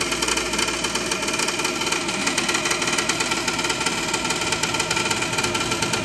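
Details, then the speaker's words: Gas furnace draft inducer motor running with a loud, rough roar and an uneven rapid flutter over a steady hum. The motor is failing and needs replacing. "all right it's pretty obvious we need to get him a new draft inducer"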